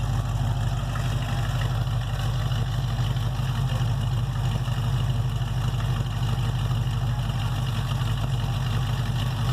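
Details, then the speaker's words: 1968 Chevelle 307 small-block V8 after power upgrades of over 100 hp in parts and tuning. A deep, even burble at idle with a steady low rumble and no ticks or knocks; a healthy idle. "That sounds pretty good."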